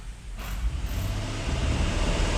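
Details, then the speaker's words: Jeep Grand Cherokee, about 2012, check engine light on, revved in gear against the brake to load it: uneven, stumbling low beat as revs rise, check engine light flashing. Engine misfire under load. "I got my feet on the brake I'm in gear let me rev up on it ooh there's a Mis frire guy"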